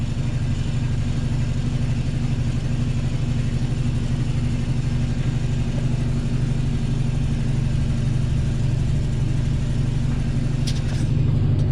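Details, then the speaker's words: Homebuilt garage air compressor pumping up normally, heard from another room, drain cycling on its own: steady low drone with an even pulse underneath, no knocks, rattles or squeal; quiet enough to listen to music over; normal running. "you can see not terribly noisy I can definitely listen to a little bit of music"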